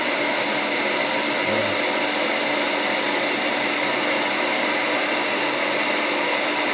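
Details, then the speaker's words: Hair dryer after motor replacement with an aftermarket motor, professional-grade salon dryer used for several years; second fan speed with heating, nearly 8 A draw: steady high-pitched air rush with constant motor hum, no rattle or wobble; repair successful, normal running. "różnica jest teraz bardzo wciskał także naprawa się powiodła"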